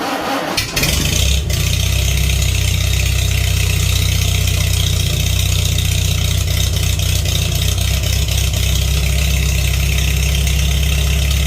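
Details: Farmall 300 Row Crop tractor, sat a while, test run indoors after carburetor cleaning: cranks briefly, starts right up on choke, settles into steady even low idle, no misses or knocks; floats shutting off well.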